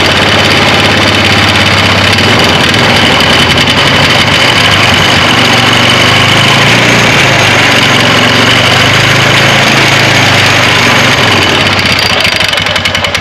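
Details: 2009 Polaris Sportsman 500 ATV just after replacing the driven clutch and belt: steady even drone with a smooth rise in load and no slipping flare or chatter; the belt drive engages normally.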